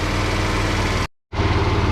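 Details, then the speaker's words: Tao Tao 50 (ATM 50) Honda Dio-clone two-stroke scooter with new carburetor fitted, throttle cable not yet connected, warmed up about four to five minutes: steady, even idle with a smooth, regular pulse and no misfires or stumbling; normal idle. "right it's been running about I want to say four or five minutes now in wow trailer is non-existent sounds pretty good Idols really well"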